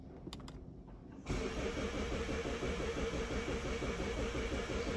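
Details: 2016 Mazda 6, towed in after breaking down while driving, code crankshaft position sensor A circuit low; starter cranks evenly about three beats a second but never catches; crank no start, scan tool shows engine speed.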